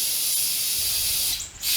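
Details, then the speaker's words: Steady high-pitched hiss of air escaping at the tire bead when the tire is pushed, on an old car's tire that would not take air even though it is not really off the bead. "well you can push on it you hear air coming out around the bead"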